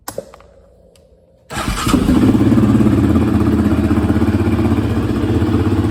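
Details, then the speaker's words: 2017 Yamaha Raptor 700 starting after a new OEM fuel pump, a valve clearance adjustment and an oil and coolant check; one thump, then the single fires and holds a steady, even thumping idle with no misses or ticking, so it idles normally. "[Music] sounds good nice item got that v-touch"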